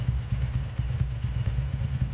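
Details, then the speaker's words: 2003 Ducati ST4S V-twin, previously rebuilt, after a gear selector spring repair, warming up at fast idle before a road test: steady, even low thumping with no knocks or rattles; normal idle. "engine sounds actually good it has been rebuilt before but that's another"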